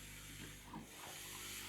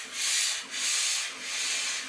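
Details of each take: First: Vax floor steamer after bypassing the filter: quiet, steady hiss with a few soft spits; steam flow strong and even, working properly. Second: Vax floor steamer, plain water, before any vinegar descaling: thin airy hiss that swells and fades roughly once a second with little force; weak steam output.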